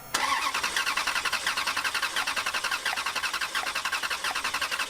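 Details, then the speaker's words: Ferrari abandoned for years in a foreclosed house that won't start, cranked with fuel pump relays out for a compression test: even cranking about 87 pulses a minute, no catching; readings 180 to 210, judged fine, normal compression. "in my opinion this compression test turned out fine and while there's a little deviation between 180 and 210 it's not enough to cause concern"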